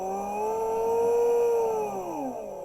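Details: Small motor on a half-bridge controller, speed raised by potentiometer: clean whirring tone rising in pitch, holding, then falling away; smooth, normal speed control.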